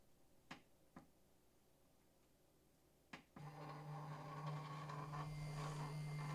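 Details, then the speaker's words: Prusa i3 MK2 3D printer during axis calibration, a few sharp clicks then a rough buzzing drone as the axis climbs: the stepper motor is skipping steps. "you guys hear that noise it's the stepper actually skipping steps"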